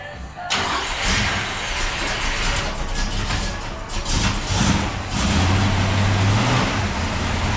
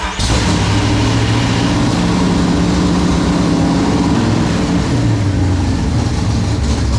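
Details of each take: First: 1971 Mustang with a 347 stroker and 5-speed manual swap: a deep, boomy exhaust drone that swells with revs. It comes from stainless restrictive flap-plate mufflers. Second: 1971 Mustang with a 347 stroker and 5-speed manual swap, starting after the clutch work: catches and settles into a steady, even, deep idle with no misses or knocks; healthy idle.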